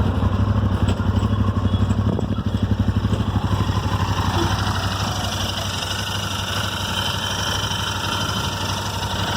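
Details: Royal Enfield Interceptor 650 twin idling: light, irregular random ticking over a steady low pulse, from the left side of the engine near the rocker/head covers; Royal Enfield has been unable to solve it.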